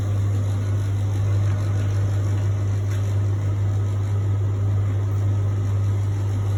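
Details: Beko appliance: steady, loud low hum that never changes for the whole run, with nothing else over it. An abnormal drone from the motor, cause unclear.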